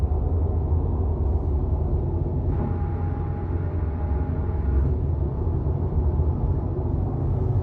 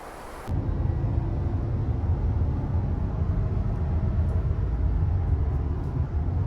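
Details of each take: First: 2019 Subaru WRX STI at highway speed after rear wheel bearing replacement under warranty: only steady low tyre rumble, and the buzzing drone above 60 mph is gone; wheel bearings sound healthy. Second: 2019 Subaru WRX STI, driving above 60 mph on highway: constant low buzzing drone under road noise, pitch rising with speed, apparently from the rear; wheel bearing drone, bearing later replaced.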